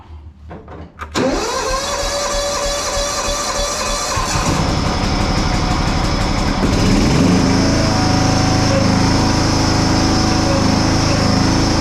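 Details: Restored John Deere Hydro 175 lawn tractor with new Oregon blades and repaired deck; brief starter whirr, catches within a second, then a smooth, steady run picking up evenly to higher speed; everything works.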